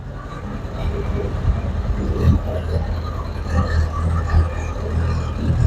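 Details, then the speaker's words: Gen 3 Alfa Romeo Spider Graduate, towed in as a no-start caused by an incorrectly installed flywheel, after repair and with some parts not yet reconnected: a low rumble catches and keeps running, revs swelling and settling cleanly. First run in a very long time. "Well, there you have it. First time this thing's ran in a very long time."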